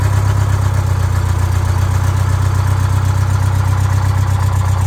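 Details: GM Scenicruiser bus, Detroit Diesel 8V71 two-stroke, just started after injector and rack checks: deep, steady rumble with an even, fast firing beat and no knocks or misses; healthy idle.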